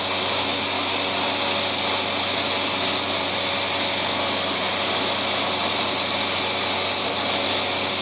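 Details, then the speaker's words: Diesel tractor mowing thick, heavy hay: steady low, strained drone, lugging rather than picking up; short of power, owner suspects dull knives and a plugged fuel filter with cloudy, grayish fuel in the sight glass. "This tractor is bogging down way more than it should be in this. Part of it probably because this is heavy. But I think I should have sharpened up my knives."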